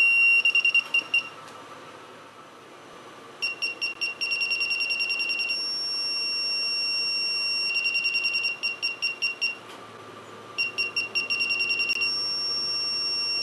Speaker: so here I'm going to do another test where I'll walk up to the back of the vehicle and as I get closer you hear the chirping get faster and faster until the chirping becomes constant